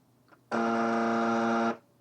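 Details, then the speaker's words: US military AN/UGC-74B communications terminal with a dot-matrix printer, after a circuit board swap: a steady rasping buzzer for about a second while the print carriage stays stalled. No change; an electrical fault is suspected. "Here we go. No, unfortunately not. It's not moving."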